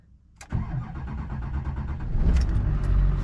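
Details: Duramax diesel truck with 237,000 miles, started after hand-priming the fuel system because of a leaky fuel pickup O-ring: short crank, then catches cleanly and settles into a steady, even diesel clatter; normal start.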